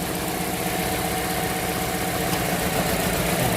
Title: ENGINE MISFIRING/PALYADO/WHAT REASON/HOW TO FIX IT/PROBLEM SOLVE/WATCH THIS/LAUNCH X431 PRO